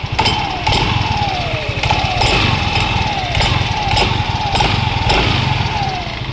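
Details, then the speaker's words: Yamaha M3 scooter idling, valves already checked and belt found reversed but uncracked: loud irregular clattering rattle from the CVT drive side; worn roller weights, with the slider pieces also to be replaced. "sa may bola sigurado kasi ito yung maingay eh."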